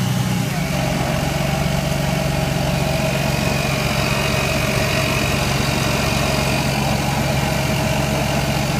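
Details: Lexus IS300 at standstill, idling in Drive versus Neutral: a light, loose rattle over the engine hum only in Drive, gone above 10 mph and back at a full stop; owner suspects the transmission.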